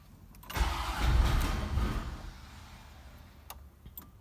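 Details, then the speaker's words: 1991 Corvette ZR-1 LT5, clutch in, neutral: catches and revs a second, then sags and stalls when throttle is applied, as if starved of fuel; later fixed by fuel pump replacement. "it'll start then it dies there it's revving up now but watch this then i'm giving it gas and it quits you know and sometimes it'll idle and as soon as you give it throttle it just bogs right down"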